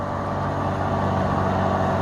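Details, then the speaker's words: Kobalt 80V MAX brushless rear-wheel-drive electric mower with mulching kit ramping up through thick grass at slow pace: steady, even mid-pitched motor drone holding firm under load; normal running. "see if i can get it to ramp up hey trip make a pass over here you can hear it now right through here the thick stuff just go slow"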